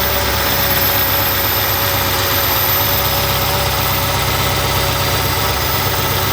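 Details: First start of a 1200hp supercharged Hemi with new Kooks stainless exhaust and Holley fuel system: loud, steady lopey idle with an even beat, no knocks or ticks over the drone; running healthy, no leaks found.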